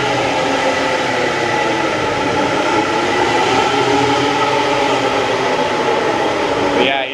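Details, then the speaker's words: Ford Raptor that the dealer diagnosed with cam phasers, second opinion: a steady loud drone with a faint constant whine while the driveline spins, amplified by the hollow drive shaft. "yeah, it uses the hollow drive shaft almost as a noise multiplier."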